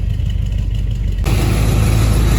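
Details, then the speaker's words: 1983 Chevy Silverado after a deer strike, cold start: deep, even V8 idle with no rattle or tick. After about 10 minutes warm, a rattle appears. "yeah it sounds fine now so we're gonna let it run a little bit and then we'll show you how it sounds after we let it run a little bit"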